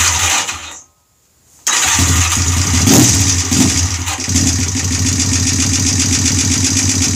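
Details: Honda bobber build, first start after engine was opened up, on the OEM carburetor after twin carbs failed: cranks, catches after a short pause, settles into a steady, even idle of about four beats a second; normal startup and idle.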